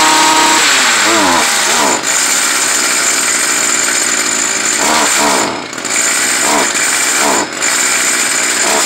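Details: Stihl FS 55R trimmer, two-stroke, during carburetor adjustment: high, buzzy revs keep sagging and dipping when the throttle opens; bogs under throttle, adjustment did not cure it, likely needs a new carburetor.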